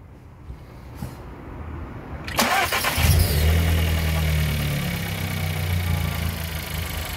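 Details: VW Golf TSI after replacing a spark plug, engine noise resembling valve noise previously, original plug six months old under 3,000 km: brief crank, then steady, even idle with no knock or rattle.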